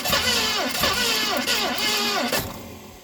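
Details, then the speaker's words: 1970 Mustang Mach 1, weak spark with replacement distributor, weak battery, fuel running out: uneven grinding cranking slowing and fading after about two seconds without firing; timing suspected off, not confirmed. "Well, she just doesn't want to fire, guys. I believe our timing is off."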